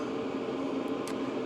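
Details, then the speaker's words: Hcalory Toolbox 2 (2025) diesel heater running wide open at full power, drawing about 29–40 W: steady even whoosh and constant fan hum, no fuel pump ticking; healthy. "and this thing is wide open I mean you can hear it no ticking but you can hear it I mean it's really pounding out"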